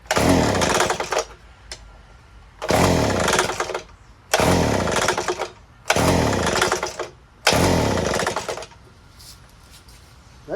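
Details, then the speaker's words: Old Craftsman 3 hp edger started on choke after priming the carburetor: bursts into a harsh roar for about a second then dies, repeating five times; catches but won't keep running; owner later suspects a broken connecting rod. "let's put it to run i don't think it'll run it doesn't sound right"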